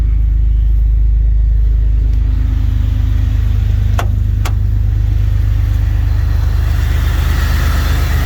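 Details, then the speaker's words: Jeep XJ after alternator replacement for a squalling belt at startup: steady even idle with no squeal or chirp, smooth hum, clutch sounds engaged; normal idle. "Running nice and smooth. Sounds like the clutch is on."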